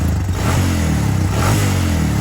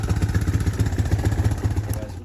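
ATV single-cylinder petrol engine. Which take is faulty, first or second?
second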